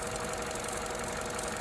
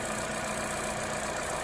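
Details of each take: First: 2014 Opel Corsa D 1.4 at idle: sharp, irregular ticking snaps from the top of the engine as cylinder 4 coil voltage shorts to the block; failed coil pack, replaced. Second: 2014 Opel Corsa D 1.4 after replacing coil pack (cylinder 4 coil was shorting to the block, causing RPM fluctuation and vibration at idle): steady, even idle with smooth low hum, no misses; running much smoother than before.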